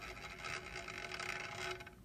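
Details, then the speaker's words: DJI Inspire 2 drone, about 10 minutes indoor flight time since new: dry, rasping grind with a scratchy high edge from the front left red-prop motor, fairly steady; that prop or motor is rubbing, other props silent. "As you can hear, it has a slight grinding sound."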